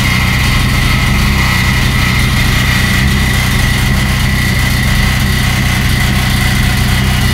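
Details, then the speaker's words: Turbo Suzuki Swift GTi build on MegaSquirt, first startup, intercooler water lines not yet connected. Loud, heavy idle with an uneven, lumpy beat and no settled rhythm: running okay on air-fuel ratio at about 2000 rpm but unstable below, with occasional detonation the owner fears is fuel related. "i can't quite get the uh idle stable like i want to um it's running okay on the uh the layer ratio thought about 2000 rpm right now it doesn't like anything below that"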